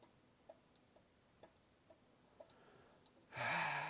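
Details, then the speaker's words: Power supply under repair: faint, regular ticking about twice a second with no steady hum building, only about 1.3 V output; it keeps trying to start and cutting out. "It sounds like it's trying to start. Let me What if I turn the load off of it? So, see if it starts under no load. I don't think it will, though. It's got a problem."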